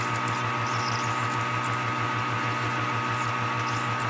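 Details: Lathe dry run on a junk part during a 1960 John Deere 1010 diesel rebuild, using a parting tool ground on a belt grinder: a steady high ringing squeal over the motor hum as the tool flexes away. Parting tool chatter from tool deflection.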